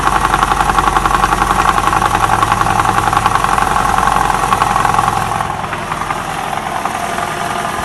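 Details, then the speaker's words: 2012 Toyota Camry 50 2.5, about 150,000 km, warmed to operating temperature, idling in Drive with brake held; quick even metallic rattle over the engine, fading as load eases, identified as balance shaft noise. "такой звук издают балансировочные валы поэтому если вы у себя услышите такой звук вы его узнаете"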